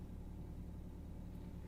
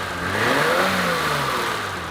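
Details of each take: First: Volvo station wagon, started right up: a low, soft, even rumble with no misses, ticks or shaking. A quiet, healthy idle. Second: 1988 BMW with fuel-injected straight-six and manually adjusted screw-and-locknut valves, revving then idling: light busy clatter over the exhaust, no backfiring; valves need adjusting due to excessive valve lash.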